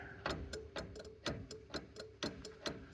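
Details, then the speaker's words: 1940s Chevy with a new universal wiring harness: the horn relay clicks rapidly when the horn ring is grounded but the horn does not sound; it had worked two or three times before. "when I ground the switch um or the you know ground the what would be the horn ring um we got the relay clicking and I just tried this a few minutes ago and the Horn uh did go for two or three times and now it just clicks again"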